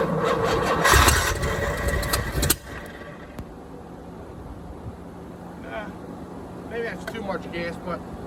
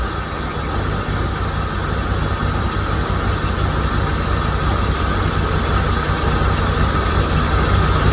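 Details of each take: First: 1987 Chevrolet C4 Corvette, TPI system replaced by a marine carburetor being bottle-fed fuel: cranking and stumbling, then one sharp backfire bang about two and a half seconds in before it dies; ignition timing is off and needs readjusting. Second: 1987 Corvette C4 V8 with TPI, after installing a new mass airflow sensor: steady, even low rumble idle with no misses or knocks; MAF was the problem, slight vacuum leak in the runners remains.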